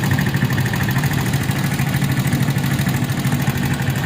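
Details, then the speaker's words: Viar VSR 200 motorcycle with rough engine noise after two previous workshops; oil not circulating, blocked oil cooler passage. Lumpy, uneven idle with a coarse irregular beat: rough idle from incorrect valve timing. "Iya ini habis dari bengkel udah dua bengkel Bang Ya udah bengkel mesinnya jadi bunyi gini"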